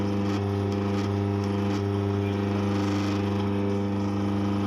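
Loud, steady low drone with a strong buzzing hum that holds constant while it runs, an abnormal vibration from the grinder.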